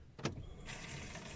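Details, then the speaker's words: VW Golf 6 petrol, key turned to on without starting, in-tank fuel pump under rear seat used to siphon fuel: a click then soft, steady whirr holding level; pump priming normally. "Et en fait, en donnant un coup de clé, vous allez voir, on entend la pompe d'amorçage en fait. Donc là, je tourne ma clé sans démarrer la voiture."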